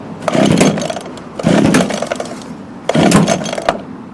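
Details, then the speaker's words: Echo HC2000 hedge trimmer, found discarded, after primer bulb replacement, cold start: two-stroke revving cleanly in three crisp blips; smoking from poor oil mixture, Seafoam added; runs normally. "alright guys so this is a winner winner chicken dinner now the reason why it's smoking Chrissy the oil mixture is awful"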